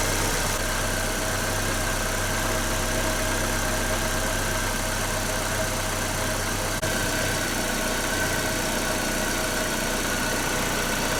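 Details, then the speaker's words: Nissan Note/Tiida 1.4 CR14DE petrol engine at idle after valve adjustment, four worn exhaust-valve tappets replaced with thicker ones (clearances from 0.40 to over 0.50 down to 0.34–0.38 mm): smooth, even idle with no valve tapping. "Толкатели поменены, в данном случае 4 штуки. И вот можно теперь послушать, как будет работать двигатель."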